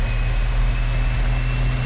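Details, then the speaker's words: Stock 1978 Datsun 280Z, fuel-injected inline 2.8 litre six, warm on a chassis dyno at full load and high rpm, like a roll race; smooth sustained drone, no misfire or rattle; normal running, about 126.2 hp. "This is what it would sound like if it was roll racing somebody. That's what it sounds like, yeah."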